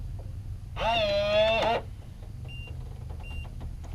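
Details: Kevo smart deadbolt, newly installed, touched with the key fob to unlock: a short warbling chime, then two brief high beeps about a second apart, flashing green twice; unlocking normally.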